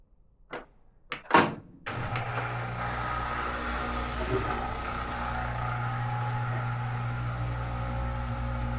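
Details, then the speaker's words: Kenmore-branded Whirlpool front-load washer that would not spin or drain, tested after clearing its extremely clogged drain pump filter under the bottom kick panel; a few clicks, then a steady low motor hum with a watery whirr as it drains normally. "You hear that? It's draining."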